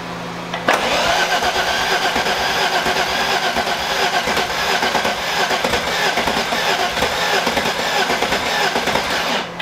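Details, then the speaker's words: Engine with timing now correct after rebuild, cranking steadily about nine seconds without firing; compression not building, cranks but won't start, suspected valves bent on the first start-ups, to be confirmed by compression test. "trying to build it. It's trying to build it, and it's just not there. I think maybe couple vent valves."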